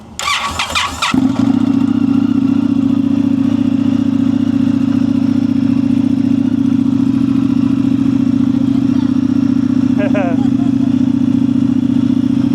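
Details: Indian FTR 1200 motorcycle with dead battery, jump-started with NOCO booster: short starter whir, engine catches and settles into an even steady idle, no stumbling or knocking; normal start and idle.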